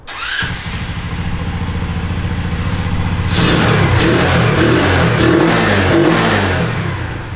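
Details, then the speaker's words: 2020 Boom Vader 125cc Honda Grom clone, 40 miles, after a bogging fix: emissions parts removed and a direct fuel line to the carb; owner assumes a clogged fuel filter was the cause. Fires, idles evenly, revs crisply without bogging; healthy throttle response. "so now when i started it's a lot"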